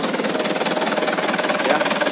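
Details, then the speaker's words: Auction HDL 2019 chassis truck, 136 PS diesel, unit 9315, started for the test: even, quick diesel clatter at steady idle, no misses or knocks; engine very smooth. "halus banget mesinnya nih"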